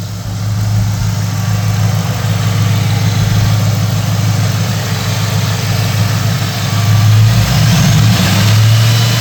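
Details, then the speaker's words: SVT Terminator-swapped Mercury Marauder V8 with mufflers, driven varying rpm and engine load to seat the rings; deep loud exhaust rumble rising and falling smoothly with throttle, no knocks or misses, healthy break-in. "Just out here varying the RPM, varying engine load, working on these rings. Sounds so good though."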